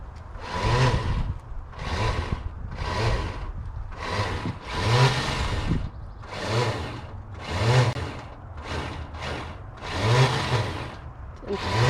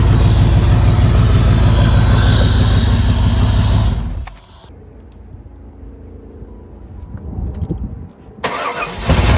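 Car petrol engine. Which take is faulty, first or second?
first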